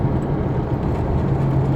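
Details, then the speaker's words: Chevrolet S10 truck on BR-316 in sixth gear at rising speed, cabin recording: a deep steady droning roar that grows louder entering a right-hand curve and eases when slowing down; driveline growl suspected, not confirmed. "o barulho começa a pôr assim sexta marcha aí a coisa aumenta então aproximando de uma curva para fazer a curva para direita vamos já perceber aqui a maior intensidade"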